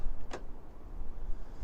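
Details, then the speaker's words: Iveco Daily van central locking tested after fixing fault, rear door now shown closed, long flash gone: one quick clean clunk as door actuator throws the lock, no repeated buzzing; central locking working normally. "but we've no longer got the the long flash I don't know if you'll be able to hear this door acat as well"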